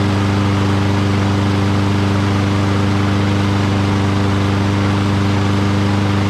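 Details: Curbside Lawn-Boy rear-wheel-drive push mower, found water-flooded with a broken spark plug. After the carburetor was cleaned and fuel added, this is its first start: a steady, even single-cylinder drone with no misses or knocks, running smoothly.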